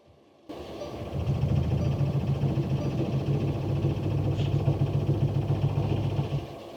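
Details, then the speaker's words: Mercedes Sprinter diesel van, -7°F, dead battery, on a portable jump starter after repeated glow plug cycles, about 22 degrees: steady cranking at about three and a half beats a second, no catch; owner suspects gelled diesel, not confirmed. "I think my diesel is just gelled. The glow plug should warm it up."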